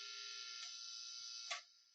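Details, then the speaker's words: Mid-90s Mexican-made Squier series Fender Telecaster, amp on, bridge pickup selected: constant bright buzz with heavy overtones that stops when touching neck pickup or jack plate; grounding issue suspected. "so I just uh plugged it in uh I checked the tuning right quick and we're going to just turn it on all right so you guys hear that so there's lot lots of buzzing"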